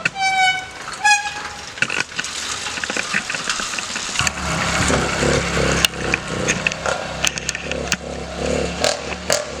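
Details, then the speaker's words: 80cc Walmart motorized bicycle two-stroke, back out after winter storage and rebuilt with new carburetor, exhaust, gasket and spark plug, started on choke and now warm: a quick, buzzy, fairly even idle; idling normally. "oh all right sounds like it's iing good sounds like it's hling good"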